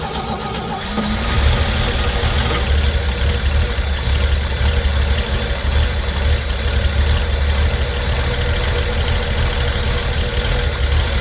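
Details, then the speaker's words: 1964 Chevy C10 on original drivetrain, first start in 30 years, bottle-fed fuel: catches and settles into a low, thin, lumpy idle under a rumble; engine sounds weak, running poorly. "sounds like it is weak as hell this thing runs like an absolu"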